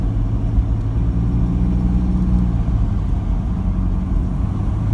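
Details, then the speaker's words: Toyota Prado diesel after injector replacement and remap, driven at steady revs with the window down on its third drive: smooth even low drone under road noise, no knock or rattle; sounds healthy. "it sounds beautiful with a window down this is the third time i've driven the car it sounds beautiful with a window down"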